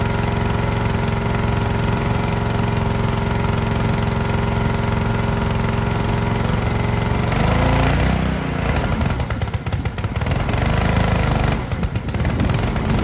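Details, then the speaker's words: Ryobi 3300 PSI pressure washer, Honda GCV190 engine, hooked to water: runs steady about seven seconds then labours and drops away with spraying noise as the pump loads it; pump building too much pressure, fixed by adjusting pressure setting. "if the pump is not making the right pressure uh say it's building too much pressure it's going to do exactly what I was just seeing there"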